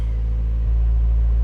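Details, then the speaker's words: 2003-08 Toyota Matrix XR after fuel pump replacement, started by banging on the suspect starter: low, steady rumble at even idle with no stumbling or ticking; running cleanly. "So I went outside and I just kept banging on the starter, and I got it to start right now."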